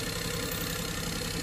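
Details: Perodua Viva after replacing the faulty ignition coil, which caused engine shake and rpm hunting with the aircon on: steady, even idle with a smooth low hum and no stumble or misfire.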